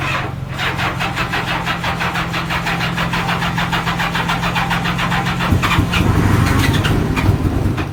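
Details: Honda Gold Wing for sale, heard on start-up: choppy, uneven idle with irregular pulses, as if missing a cylinder; rough running, cause not confirmed.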